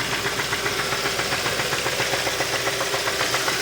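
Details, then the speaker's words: 2015 Kia Optima 2.4 with code P1326, flashing warning light and low power, run low on oil: warm idle with sharp even knock about four times a second, absent before the oil change; engine damage from oil starvation. "no más me sorprende que antes de hacer el cambio de aceite se escuchaba no se escuchaba así de hecho ni siquiera se escuchaba ruido ahorita ya si estás está sonando"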